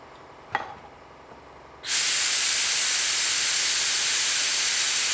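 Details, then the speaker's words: Cheap paint spray gun fitted with 1.4 nozzle pieces, cap at normal tightness then cranked down: loud steady hiss of escaping air, lessened but persisting when tightened; leak from warped plastic nozzle orifice piece. "It's even worse. Okay, let's crank it down again. Alright, we'll see if that lessens it. Yeah, it does. But it's still there."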